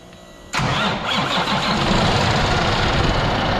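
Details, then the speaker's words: Cummins ISX truck diesel, first start after overhaul with new engine block (originally high coolant consumption and overheating), freshly filled with coolant: cranks and catches within half a second, settles into steady even idle with no knocking; sounds healthy. "Wow that's a first start soon as hell you would think it was started before"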